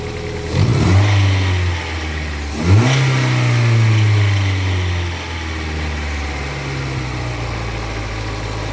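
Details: Lada Priora after fixing slipping alternator belt that caused whistle, overcharging (16.7 V) and instrument panel cutting out: two throttle blips, then steady even idle, no belt squeal; charging now 13.9 V, healthy. Normal idle.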